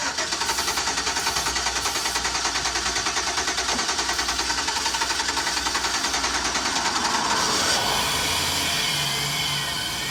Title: Brake clean to keep engine running with bad fuel pump Chevy express